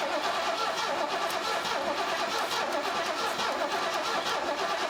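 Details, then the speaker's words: 1970 Ford Mustang Mach 1 barn find, stored since the 1980s, cranking before the carburetor was fueled: uneven, lopsided cranking rhythm with one beat weaker. Suspected low compression in one cylinder; a compression test is planned. "when it was cranking over, it wasn't cranking over evenly. It was so it seems like it's got low compression in one cylinder."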